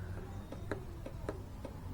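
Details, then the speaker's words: Honda Blade 125 FI, starter won't crank: sharp dry clicks two to three a second with no cranking; circuit active, starter motor or bendix suspected; faulty starter relay. "Ada segi suara ya. Ee kalau ada segit suara kayak gini biasanya jalur sistemnya masih aktif ya."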